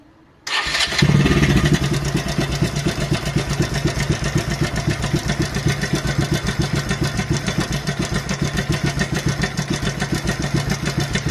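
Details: Motorcycle engine starting and idling before timing chain replacement: fast, metallic clatter over the beat, a rattle mainly caused by a loosened timing chain and worn pads; a faulty tensioner may also cause this.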